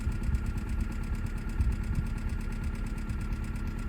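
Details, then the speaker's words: $1000 budget race car, sat a while, check engine light on, owner suspects misfire, possibly stale fuel (E10 known to cause misfires on these per former Hyundai tech): low lumpy idle with uneven thumps and occasional stumbles; cause unconfirmed. "but it's also got a check engine so I got a feeling it's misfiring"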